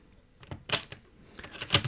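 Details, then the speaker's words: Floppy drive after freeing seized mechanism, fresh grease and reattached springs: two crisp quick mechanical clacks as a disk inserts and ejects freely, no grinding; eject now normal. "okay let's try with a disc yeah that totally works and now it ejects very"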